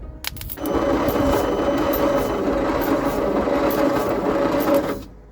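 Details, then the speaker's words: Leyland/Austin/BMC FG COE truck (owner thinks Austin), fuel squirted into carburettor: slow, labored cranking about four turns a second on a weak starter, never catches; flooded with too much fuel; owner then plans opening the distributor points. "Gosh, that starter is slow, isn't it? Alright, way too much fuel again. It's not even trying. It's cranking so slow, it's so sad."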